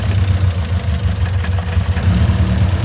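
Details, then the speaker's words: Honda CRX with all-motor B17, suspected bent valves after the engine jumped time (piston likely hit valve crossing into VTEC on highway); cylinder drop test with cylinder 2 unplugged shows little audible change. Low idle lopes unevenly with a recurring stumble, misfire; compression test next. "I don't know if you guys can hear it but you do hear just like kind of miss and it's just running weird"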